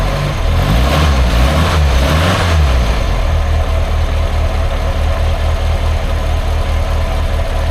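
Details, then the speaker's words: Triumph Herald Estate first start after refitting inlet and exhaust manifolds and carb: throttle blips, then idle sags into a lumpy, uneven beat near stalling; revs up well but chokes when throttle released, owner suspects over-fueling. "Because the engine revs up well, which makes me think it's over fueling, because when you're revving, obviously you're using your fuel. That's it. And it's alright. But when you let off, then it just chokes itself up"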